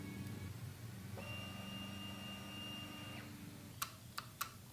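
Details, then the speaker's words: Honda Grom motorcycle, ignition on: faint hum, two-second fuel pump prime whine, then dry clicks and no cranking when starter pressed; suspected bad starter relay, also check clutch and kickstand safety switches. "as we try and hit the starter nothing happens at all you can hear the fuel pump going when you turn the bike on"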